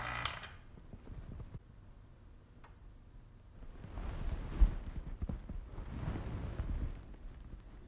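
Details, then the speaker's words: TA350 vacuum pump for composites work, settling near 20 inches of mercury with slow leak-down: low uneven rumble with irregular wet gurgling inside the pump, vacuum lost within the pump not just fittings; adding oil may help. "so we are still losing a little bit and it's not just in my fittings I can hear the the gurgling inside the pumps so we're actually losing some vacuum from within the pom"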